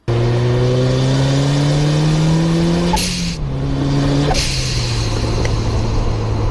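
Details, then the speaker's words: Turbocharged engine with its blow-off valve venting to atmosphere; revs rise, then a sharp, loud hiss bursts out as the throttle lifts, repeated twice; normal blow-off venting. "option one is to Simply vent everything into atmosphere option 2 is to recirculate it back in front of the turbo inlet venting everything into atmosphere will give you a loud hissing sound like this"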